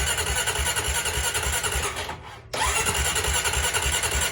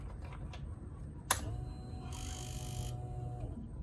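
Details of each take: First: Honda Rancher 420 ATV that quit while riding and sat a week, fuel pump audibly priming: starter spins the engine in steady pulses, pauses, then cranks again without firing. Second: Honda Rancher 420 ATV that quit running, key on: sharp click, then a steady electric hum for about two seconds that stops cleanly; normal fuel pump priming, so the pump appears to work.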